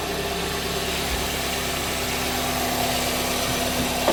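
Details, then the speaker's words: Hyundai Trajet after clearing fault code P0304 (cylinder 4 misfire) and rescanning with no codes: smooth, even idle slightly fast, expected to drop once warm; misfire gone, running cleanly. "एक बार वापस से read करके देखता हूं फड आ रहा है क्या no trouble code ठीक दे सकते मिसिंग चली गई गाड़ी में मिंग नहीं है"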